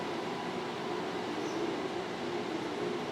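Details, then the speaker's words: Permobil F5 vertical standing power chair lowering from the standing position: a smooth, steady motor hum with no grinding. Any squeaks come from the suspension and seat-lift springs and are normal. "Those are your springs. There's nothing wrong with your chair. If it's a motor, you'll know it."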